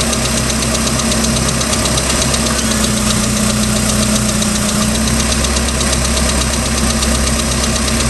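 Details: 3.0L Mercruiser boat engine, second owner, ticking started at beginning of season: loud steady drone with fast light ticking in time with the engine; cause unknown.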